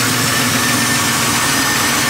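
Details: 1973 Impala small block Chevy 406 V8 idling as it warms up after cold start: light fast tick blended into the engine note; valve train tapping, possibly a lifter.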